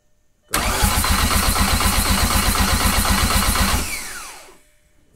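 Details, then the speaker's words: Car with a freshly built engine: the starter spins at about four pulses a second for around three seconds but the engine never catches; cranks with no start, fuel confirmed arriving, spark still to be checked. "yeah there's definitely gas coming in so um we might have to check Spark"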